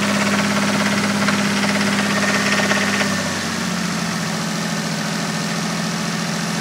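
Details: 1986.5 Toyota Supra MK3 Turbo fitted with a 1989 Supra inline-six engine, idling: fairly steady knock near 167 per minute over the engine note; rod knock, owner suspects cylinders 1 and 5.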